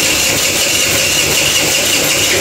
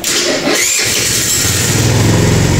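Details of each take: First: Kuba Valentino 50cc two-stroke scooter, top speed dropped from 70-80 to 50-60 km/h: harsh, dry scraping rasp over the engine buzz; not from crank or chain but loose stator screws rubbing inside the flywheel. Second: Kuba Valentino 50cc scooter after engine rebuild: starter whirs, engine catches on the first press and settles into a steady, even idle with no abnormal noise.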